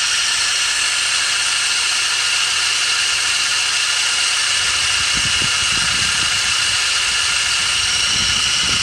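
A steady, high-pitched whirring hiss sits over a faint engine idle; it holds an even pitch, pointing to a noisy pulley.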